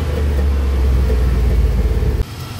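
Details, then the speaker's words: Carbureted LS 5.3 V8 swap in a daily-driven truck, probably under 10k miles: failed MSD 6014 ignition box causes a misfire; rough at idle, better at raised revs but still missing; air-fuel around 20–21:1; deep V8 stumbling unevenly. "you can easily hear a misfire i don't know if you guys can hear can hear that we got ourselves a misfire here"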